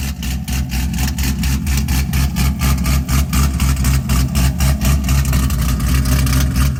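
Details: Cadillac CTS-V first gen, freshly built LS3 with custom 13:1 compression, CNC-ported top end, E85 build, first startup; deep V8 loping at about four surges a second with aggressive cam. Normal idle.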